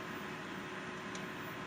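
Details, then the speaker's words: Desktop PC with no video and no beep, memory sticks removed: only a steady fan rush, no POST beep at power-on, though a missing-memory beep is expected. Cause not yet found. "okay so usually when you remove the ram out it's going to give you a beat okay hey there's no memory that it doesn't beep"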